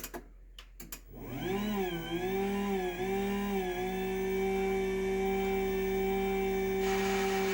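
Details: Brand-new Chamberlain/LiftMaster DC belt-drive garage door opener running: motor winds up with a wavering whine then a loud steady vacuum-like hum with heavy vibration; unusually loud for a DC belt drive.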